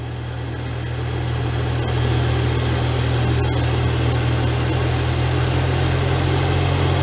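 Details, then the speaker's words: 2007 Toyota Tundra, blower fan running on recirculate: steady low droning hum and rushing air with no ticking. It was quiet, then suddenly it was as if it sucked something in; cause unclear. "I got on recirculate it sounds like um it sucked something in it was like quiet and then all of a sudden it"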